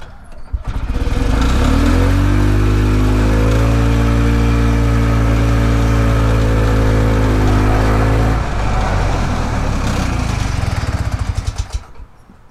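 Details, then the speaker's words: Harley golf cart engine after retiming, which previously ran faster in reverse than forward: starts and holds a strong even drone, no misses or knocks; now runs about the same forward and reverse, timing fix successful. "it's hard to tell it seems like it runs about the same in forward and reverse now so i would say this is a success"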